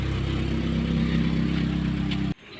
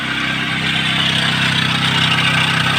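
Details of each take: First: Chevrolet Optra/Lacetti/Forenza with the accessory belt removed: steady even idle, the loud noise gone; accessory belt tensioner pulley found with axial and radial play, blamed as the cause. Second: Chevrolet Optra/Lacetti/Forenza at idle: constant high whirring rasp over the engine from the accessory belt area; tensioner pulley bearing has play, noise gone with the serpentine belt removed.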